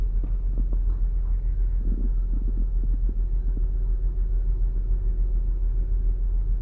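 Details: 2008 Saturn Outlook just after cold start: deep, lumpy idle with uneven shaking pulses, rough misfire; owner wonders whether commanded air/fuel ratio dips during open loop, a computer glitch, cause it. Unconfirmed.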